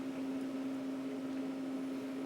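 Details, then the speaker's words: Twenty-year-old CD-RW drive in a Windows 98 PC burning an audio CD track by track: a quiet, steady mid-pitched disc hum with no ticks or grinding, spinning down between tracks. "so one thing I want to mention is it lays down each track one after the other so you'll actually hear the drive kind of spin down in between tracks so that's what it's actually doing"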